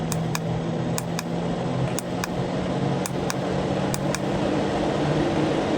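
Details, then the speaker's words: New RV roof vent power fan at 100%, blowing out: steady low hum with faint paired ticks about once a second, no rattle or tinny buzz, unlike the old metallic fan; normal full-speed run. "that's 100%. So that's the noise at 100%."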